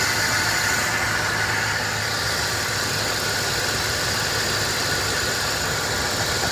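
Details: 2006 Dodge Ram 1500 Mega Cab V8, just after new valve cover gaskets and fresh spark plugs, hard start, old oil burning off the manifold: steady even idle with no skips; all eight cylinders firing cleanly.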